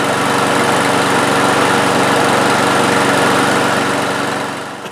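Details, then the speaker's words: One-year-old 2024 Toro mower, Briggs & Stratton E-Series engine, after hitting a bolt in concrete; blade adapter replaced, no more rubbing. Driveway test on the automatic choke: a steady, even buzz with no knocks or scraping, then shut off. Normal running. "We're just going to start it up here on the driveway, make sure it starts okay, sounds okay, runs decent, and that's it."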